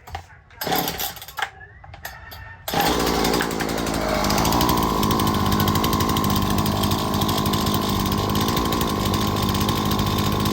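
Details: Chainsaw during ignition diagnosis; spark tester jumped 8 mm, ignition module judged excellent, gap reset to 5 mm: after some handling the saw fires and holds a steady, even high-pitched buzz with no misses or surging. Runs normally.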